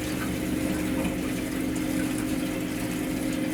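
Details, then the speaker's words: First Company HydroAir system not heating the second floor, after purging air and a stuck feeder: steady, even pump hum with soft water rush, no gurgling or air noise; normal water circulation. "yeah all right she's coming back nice and toast now all right it's going to be fine now that's what it was just needed a little Purge"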